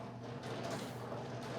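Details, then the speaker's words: Riso (Risograph) printer just sent a file from the computer, printing the master; continuous mechanical whir with a faint steady tone, no knocks or grinding: normal master-making. "Okay, that noise tells us that the Riso machine is now printing the master for this file."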